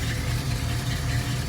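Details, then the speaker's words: 1973 AMC Hornet after open and useless vacuum lines were removed, idling with the brake held tight: low, lumpy idle with an uneven beat and slight surging; rough idle. Master cylinder or brake booster suspected, possibly a vacuum leak; it no longer cuts out on throttle. "Sounds like absolute poo-poo. In here."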